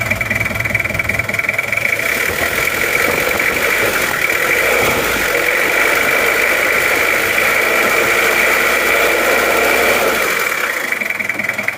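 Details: Toyota Kijang LGX diesel after valve clearance adjustment by replacing one shim, air filter not yet fitted: an even idle clatter of about three to four beats a second, with the earlier knocking gone. Idle is normal.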